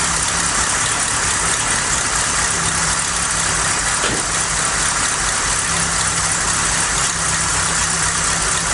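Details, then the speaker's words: Ford Cortina Mk3 Estate with carburetor refitted, new vacuum pipe, gasket suspected worn: hissy, uneven idle with a brief stumble midway, smoky; running rough, still not right, before the carb rebuild kit. "hmm still not quite right something definitely not right here oh smokey"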